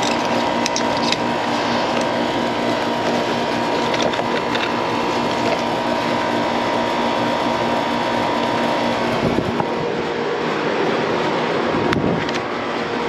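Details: 15-year-old never-serviced AC condenser; loud steady whirring drone with constant mid-pitched hum and faint rattle; loud fan noise, fan amps read low against a 1.1 rating; bearings suspected, not confirmed, fan motor to be changed after capacitor check.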